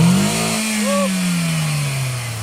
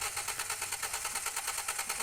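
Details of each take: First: 2010 Toyota Vios after collision repair with new radiator assembly and AC condenser, no check engine light: engine still cold, revved up smoothly then settling to a steady, slightly fast cold idle without misses or knocks; running normally. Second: 2010 Toyota Vios after a front collision with a new radiator and AC condenser: starter spins the engine at an even quick rhythm, about seven pulses a second, but it never fires; cranks but won't start, check-engine light on.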